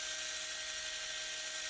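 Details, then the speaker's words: Furitek PIXI ESC, brushless motor with RPM limiter set to 19,000 RPM (not the rev limiter that bounces 22,000–17,000): high, perfectly steady whine that never rises or falls, motor held at 19,000 RPM whatever the throttle. "It just limits it to 19,000 RPMs, no matter what my throttle is at."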